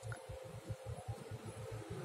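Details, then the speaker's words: Samsung A50 with a silent loudspeaker, speaker tested directly with a power supply (probe tips rusty): faint low crackling pops several times a second as power is applied, showing the speaker still works. "Kalau power supply biasanya dia bunyi kresek-kresek ya. Ini kita coba aja apakah dia kresek-kresek."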